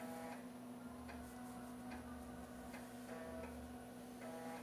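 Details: Floppy drive in a real DOS-era PC copying ARJ-compressed files: short buzzy ticking bursts about once a second as the head steps back and forth. A normal, healthy read.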